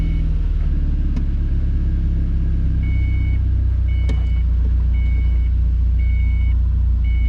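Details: Miata on first start after fitting a new exhaust; deep, steady exhaust rumble at an even idle with no knocks, rattles or blowing; healthy engine.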